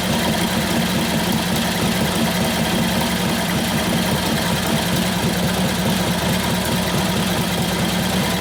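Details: 1941 Harley-Davidson WLD 45 flathead V-twin, custom 56ci stroker build, warm and held under hard brake load in second gear: a steady, even thumping beat that pulls cleanly with no knocks or misses. It sounds healthy and better than it used to, as though it has a cam.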